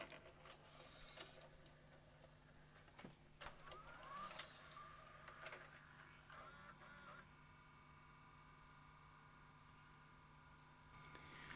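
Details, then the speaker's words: Sony J3 analogue/Digital Betacam player with multiple faults running its lacing sequence: uneven, stop-start whirring and clicking instead of one smooth threading run; owner suspects a failing motor plus a tape path fault keeping tape from reaching the capstan and pinch roller. "So, I think this motor is failing. But we also have a serious um tape path fault that's causing the tape not to uh go out to the capston and pinch roller."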